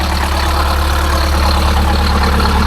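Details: Detroit Diesel 8V-71 idling after a new starter (part 6924N) was installed: deep, even rumble holding steady with no knocks or misses; clean, healthy idle.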